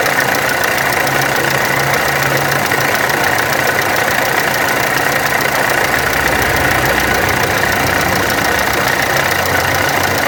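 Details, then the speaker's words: VW Amarok turbo diesel: harsh, clattery idle with uneven rattling rhythm; camshaft pulley and high-pressure pump were out of timing, and water pump is leaking heavily with play. "ô galera aqui na maroka ela tava fora do ponto a polia de do comando aqui eu tive que colocar depois não deu certo nem a da bomba de alta também tava fora"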